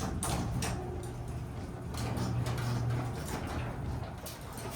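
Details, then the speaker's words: Garage door after nylon rollers were replaced and rails cleaned: low steady hum of smooth, quieter travel, with a few faint pops and cracks attributed to the old panels. "At least it's already done and smooth and quieter and cleaner. It will last longer."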